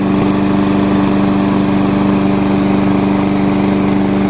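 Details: Curb-found Weed Eater walk-behind mower, cutting test: steady even drone at constant speed, no misses, knocks or surging; runs good.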